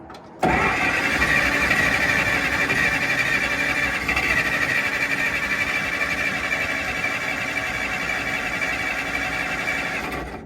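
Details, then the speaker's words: 1940 Dodge VFA32 winch truck, 85 years old, fresh battery and systems bypassed for a first start; an earlier try smoked and nearly ran: ten seconds of steady cranking with no firing and no pickup. Crank, no start. "nothing really that time. Um, but not to worry."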